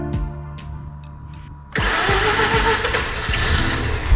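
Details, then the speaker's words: Mazda RX-8 rotary engine not run in a long time, possibly flooded, being de-flooded: slow, uneven cranking beats, then it catches with ragged, rough firing; hard starting, cause not pinned down. "We just can't start it because it's not been started in a while."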